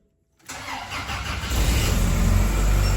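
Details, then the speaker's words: Grumman LLV postal vehicle, first start after Iron Duke engine replacement and a fuel-leak check: starter whirs briefly, engine catches within half a second into a steady idle; an exhaust leak is heard afterward, suspected warped manifold. "Nice. Almost too easy."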